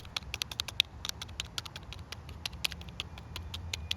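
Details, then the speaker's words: Bolens string trimmer that won't start, carburetor metering diaphragm flexed by hand: dry irregular crackling and crinkling, diaphragm stiff instead of soft, cannot work the rocker arm; needs replacing. "And as you just heard, it is not soft and flexible, but instead it's quite stiff, which means it won't be able to move like it should to work the rocker arm that's underneath it."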